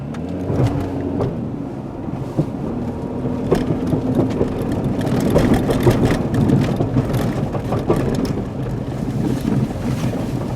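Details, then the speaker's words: 2005 Ford Escape AWD creeping at low speed: irregular banging, popping and cranking from transfer case (PTU) whose fluid was never checked, driven ~300 miles noisy; replaced with junkyard unit. "I think you can probably hear all that banging and popping and cranking"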